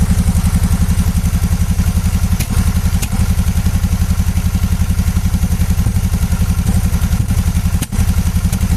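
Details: 2014 Suzuki V-Strom 650 ABS, warm, after replacing the small hoses to cure an air-intake-like popping at idle: steady, even low thumping from the twin at idle, with no popping or misses and smooth, regular firing pulses. It runs clean.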